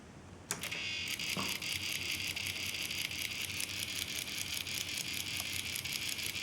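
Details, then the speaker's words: Old Mark I Uher Report tape recorder, motor run outside its housing: thin high-pitched buzz with loose irregular ticking instead of a smooth spin-up; motor not running properly. "okay this motor definitely not working okay I will take it out and I will uh put the other motor here and see if it will work"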